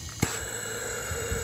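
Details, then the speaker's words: Powerfist 420cc pressure washer engine that won't start, after sitting two years, leak-down tested at about 15-20 psi with engine off: steady airy hiss as the intake valve is pushed open, demonstrating an intake valve leak. "now if you want to hear what an intake valve leak would sound like this is what it'll sound like"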